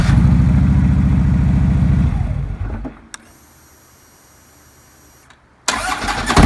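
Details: 2009 Harley-Davidson Road King, final check about 5 minutes after reassembly following a starter clutch replacement for a horrible starter noise. Runs with a steady low beat, shuts off, then restarts cleanly with no starter grinding: starter healthy.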